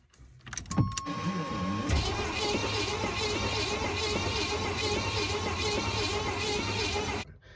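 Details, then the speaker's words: Long-sitting 1987 Chevy K5 Blazer 350, previously seized (owner suspects dry seizure), cranking slowly for about five seconds without firing. The starter whirs and grinds as the freed engine turns over again. "We tried to turn it over and it actually slowly started turning over again."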